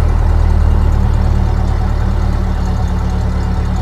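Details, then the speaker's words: 1930 Ford Model A Deluxe Coupe, revived after storage since 1980, distributor reassembled and coolant added: low, steady four-cylinder idle with an even beat and no misses or knocks. Normal idle, though oil later found entering the muffler. "This thing sounds good."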